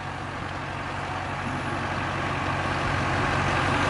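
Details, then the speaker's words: 2003 GMC Topkick rollback diesel, dirty and sitting for a long time, just started: steady, even, fairly quiet idle clatter with no knocks or misses over the low rumble; it runs really well. "And that's about as quiet of a diesel as I've ever heard. Runs really good, really quiet."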